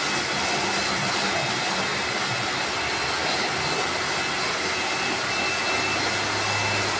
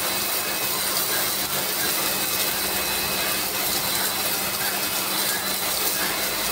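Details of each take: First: Lakoni Laguna 70 pressure washer (70 bar) spraying: a loud, even hiss and whir, noisier than usual, which the owner attributes to its carbon-brush motor or possibly low inlet water pressure; not confirmed. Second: Lakoni Laguna 70 pressure washer spraying off moss: a loud, even hum with coarse spray hiss that never wavers. It runs normally but is noisy because it uses a brushed motor.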